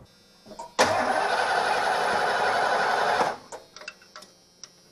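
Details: 1989 Ford E250 Econoline van that suddenly lost spark: even starter churn for about two and a half seconds without firing; plug-wire test shows no spark, unburnt fuel smell; crank no start, cap under suspicion.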